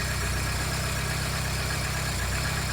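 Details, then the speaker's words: 1980s Vauxhall hot hatch barn find, first start, a little more fuel given: smooth, even idle with steady low hum, no knocks, ticks or misses; oil pressure near max. Normal healthy idle. "How smooth and silky is that? That is mental. That is a smooth idle, my friend."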